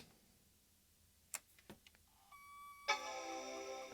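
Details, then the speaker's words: PowerBook 540c with corrosion from exploded batteries and vinegar-syndrome LCD, first power-on: a few quiet clicks, then a clean sustained startup chime; normal, screen lights up. "all right we get a chime that is a good sign"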